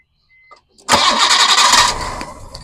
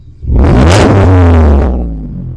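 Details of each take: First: Engine takes three attempts to start, shaking hard on the first couple before settling to a rough idle. There is a slight ticking noise, and an audible vacuum leak toward the back is suspected as the root of the problem. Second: I mean, it sounds pretty nice.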